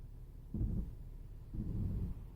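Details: Low, gritty grinding in short bursts each time the brake is slowly eased off, with a weird noise also heard while braking on the road; brake grinding, cause not yet found.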